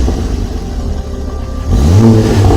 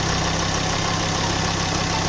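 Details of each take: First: Ford Focus ST Mk2 225 with newly fitted RS Mk2 2.5 spark plugs, heard from the rear: three rev blips over a rough, uneven exhaust with occasional pops; misfire, owner suspects one plug gap is too close. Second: Ford Focus ST mk2 225 with RS mk2 2.5 spark plugs fitted, restarted after plug gaps reset (a too-close gap had caused a misfire): steady, even idle with smooth firing and no misses or knocks; normal healthy idle.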